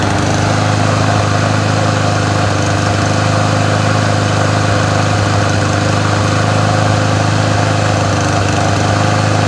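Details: Troy-Bilt TB110 push mower, 550EX 140cc, carburetor previously replaced: slightly uneven lumpy idle; running rough, owner checking spark consistency and suspects a possible coil issue, not confirmed.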